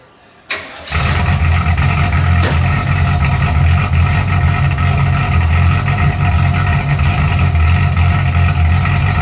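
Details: 1981 Camaro V8 after a top-end swap, open headers with no exhaust, timing and carburetor not yet set: engine catches and settles into a deep, steady, even idle that holds firm; healthy with no knocks or misses.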